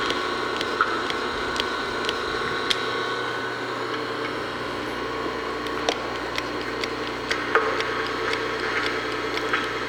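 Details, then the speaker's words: Three-phase motor from a LeBlond lathe restoration, with bearings replaced, greased while running. Steady, even motor hum with a light hiss and faint clicks as grease enters the bearings; it runs smooth. "you can hear the grease going in those barings that one's getting kind of tight that one's getting kind of tight so I think that's good enough"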